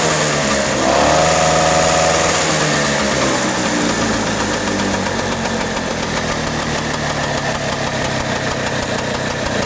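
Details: Vespa two-stroke scooter after a carburetor cover (deksel karbu) setting for flooding and hard starting, with ignition normal and oil topped up as it seemed low; it settles from a rev into a busy, even idle with a steady buzz, no misfire, running cleanly.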